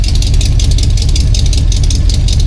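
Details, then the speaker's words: 1977 Jeep CJ-7 with a freshly rebuilt AMC 304 V8 and mild cam, first start and break-in: deep, loud idle with a slight, even lope and steady beat, no misses or knocks; normal idle. "Still a nice smooth idle. I I like this cam a lot."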